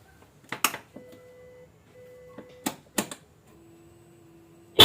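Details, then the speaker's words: Hella Classic double-disc dual horns fitted to a Yamaha All New NMAX: short steady tones in two separate pitches, stereo left and right, plus one lower tone, more commanding than the single stock horn; working normally. "Jadi suaranya stereo, antara kiri dan kanan. Dibandingkan dengan klakson standar, yang ini jauh lebih berwibawa, lebih keren, bisa dibilang begitu ."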